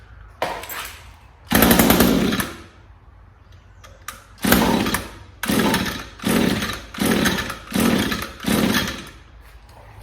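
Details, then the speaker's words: Echo SRM string trimmer with HiPA replacement carburetor kit, off-brand Savior spark plug installed: about six pull-cord rasps with no catch; won't start, while an NGK plug started on the first pull. "that off-brand spark plug that comes with the kit is a piece of junk don't even bother installing it"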